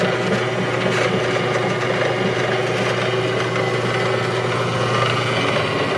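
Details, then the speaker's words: JET 15-inch floor drill press 45792 running, with a broken belt-tension cam adjuster that leaves the motor locked in one speed position. Steady hum with an even mechanical whir and no knocking or grinding; the motor runs smoothly. "However, the unit does operates very nicely. Just turn it on for you."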